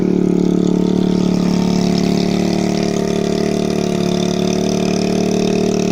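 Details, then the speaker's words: 2013 TaoTao 50cc CVT scooter at 2,713.8 miles with a new coil and NGK spark plug; it had been running lean and was adjusted. It starts and settles into an even, buzzy idle with no misses or rattles; runs rich and healthy, a normal idle. "it's actually more powerful than most other Taotao 50s it runs rich and healthy"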